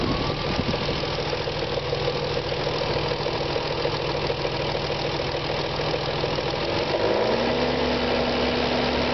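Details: BMW E36 M3, S50B30 engine: idling six with a fast irregular ticking rattle about three per second over the hum, then gentle revs; owner unsure whether VANOS or timing chain. Cause suspected, not confirmed.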